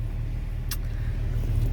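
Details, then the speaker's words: MK4 Golf GTI 1.8T, new tune, just fitted uprated DeatschWerks DW65C fuel pump: started first shot, low steady even idle rumble with no misses or knocks; normal idle after pump swap. "new fuel pump in fired straight up again first shot can't go wrong can't complain with that I'm going to leave the windows down a little bit she's she's up and running"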